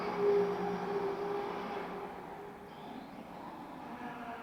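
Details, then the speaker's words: MJX 7304 Polo 1/7 RC car on its second LiPo: steady mid-pitched whine over the motor as soon as it accelerates and also on deceleration, fading as it slows; gear or drivetrain noise, source not found. "Là, ça va, et dès que j'accélère, voilà, dès que j'accélère, c'est mort. Ou à la décélération aussi."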